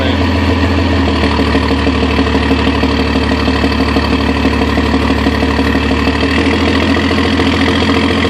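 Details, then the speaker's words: 1997 Cummins 12-valve diesel: normal-sounding idle, but steady chuffing pulse about three per second turns harsh, jake-brake-like blatting under engine load; exhaust-side cause unknown. "It's got a funny jake brake sound when you put a load on the engine."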